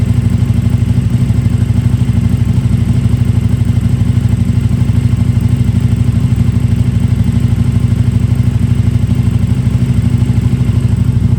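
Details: KTM RC8R with a swapped-in 2020+ 3rd-gen 1290 Super Duke engine and electronics, first start after joints were safety-wired: crisp, regular pulse about three beats a second, staying even; clean, healthy idle.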